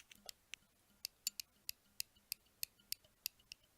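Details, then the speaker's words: Schrade SH306 folding knife: sharp light clicks about three per second as the tip-up pocket clip is poked and snaps against the handle; clip badly set from the factory, not resting on the handle. "you can hear that clicking because that's just me poking poking the clip and what you're hearing is it actually hitting up against the handle this clip was not actually calibrated correctly so it is not even touching the handle"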